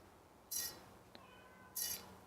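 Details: Bicycle wheel slightly out of true after broken spoke nipple: two brief hissy scrapes about 1.2 s apart as the spinning rim brushes a zip-tie indicator once per turn, while truing by tightening opposite-side spoke half-turns.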